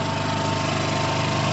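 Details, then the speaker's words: Piaggio Fly 125 scooter just started, not revved, ticks over at a steady even idle with no knocks or misses; sounds normal. "at the moment that bike starts i haven't revved it i don't want to overwhelm it that sounds normal to me guys"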